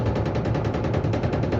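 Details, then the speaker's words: Electrolux washing machine during the spin cycle: rapid rattling bangs, about eight a second, over a deep drone, caused by a broken hose clamp letting a hose knock. With the hose re-secured it spins silently. "aí o motivo uma das abraçadeiras [Música] quebrou Mangueira presa novamente e máquina centrifugando em silêncio r"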